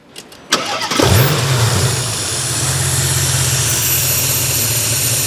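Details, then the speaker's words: Porsche Panamera V engine with over 60 fault codes, engine overfilled with oil: cranks, catches and settles into a low, slightly wavering idle; fine cold but severely unstable when hot, nearly stalling, from a failed crankcase ventilation oil separator. "차량 은 차가울 때 는 괜찮지만 , 뜨거워진 상태 에서 주행 하면 심각한 불안정 현상 이 발생 합니다 ."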